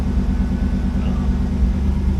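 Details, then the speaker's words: Chevrolet El Camino with 5-speed: deep even V8 idle, no misfire, ticking or knocking; fired right up, better than last attempt; normal idle. "Fired right up, sounds good. A lot better than last time I tried to start"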